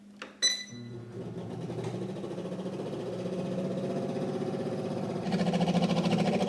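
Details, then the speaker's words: Breville Smart Oven BOV900BSS on convection: a quick, steady scraping pulse about three per second rides over the fan hum. The convection fan is rubbing; owner suspects its wheel is lopsided. "So, what's going on is inside here there's a fan and for some reason it is rubbing on something and I'm not sure why."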